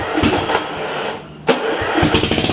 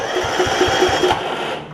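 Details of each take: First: John Deere RX75 riding mower with a swapped-in 9hp Kawasaki engine, no muffler yet, with starting spray and just enough oil: it cranks, catches, then a hard, rapid, raw popping beat at fast idle, very loud and open. Engine running without muffler. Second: John Deere RX75 riding mower after a 9hp Kawasaki engine swap, hot-wired and in neutral: steady starter cranking with even pulses about four or five per second; the engine turns over normally without catching.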